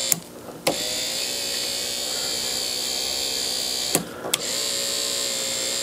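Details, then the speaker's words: Porsche 3.2 Carrera power window regulator motor, just reassembled after rebuild, tested wired to the car: smooth steady whirring that stops and restarts cleanly; it works normally, owner thinks it may still be a little slow. "it does work i wonder if it's fast enough sounds like it's getting better i think that sounds pretty good"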